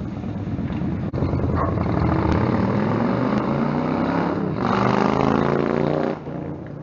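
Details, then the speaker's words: Stryker V-twin on a warm-engine road ride after new header gaskets fixed leaking headers (about 11,000 miles): loud exhaust pulls smoothly up the revs over wind rush, no popping, backfire or surging; power feels linear. Normal exhaust note while riding. "for what I heard I'm pretty deaf already it doesn't sound like there was a lot of like like backfire on the bike"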